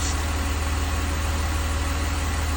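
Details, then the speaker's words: 2002 BMW 330Ci idling after restart, heater on low: smooth even idle pulse, faint secondary air pump whir, no ticking; earlier tick gone, owner suspects collapsed lifter pumped back up; coolant loss unexplained, sounds healthy. "but it still bothers me that I'm losing water why am I losing coolant but that sounds like a perfectly healthy engine to me"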